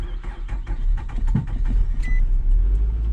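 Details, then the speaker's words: 2006 Nissan Altima that sat almost a year, started on jumper cables: catches and settles into a low, slightly uneven idle with traffic behind; before, it ran briefly then died. "There we go, it runs, yay! An emergency brake off. Now before, it would run, and it ran for a little while, and then it died."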